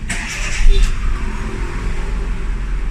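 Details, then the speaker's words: Hyundai Getz petrol 12-valve that had hard starting and high idle, after new sensor; short crank catches at once in one click and settles into a steady even idle, no longer hard starting. "At pangalawa ko naman napansin dito ay sa unang start hindi na siya hard starting mapa-ungol start siya umaandar mabilis one click"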